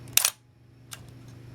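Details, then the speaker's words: Minolta SRT 200 35mm film camera body, shutter fired at 1/60 second: one crisp clack of mirror and shutter, short clean gap, no drag or sticking; normal shutter operation, mechanism in good condition. "Very strong, I think, on these slow speeds. So it indicates this is in quite good condition. The mechanism is all still working properly."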